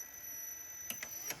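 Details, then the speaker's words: 1980s Panasonic NV-430 VHS recorder, first run after sitting years in an attic: thin, steady high-pitched screech with light clicks as the tape drive turns during very slow fast forward; drive belt looked tight, screech source unidentified. "Let's see if I can push play. Oh, yeah, wow. Ooh, screeching like... Oh, wow."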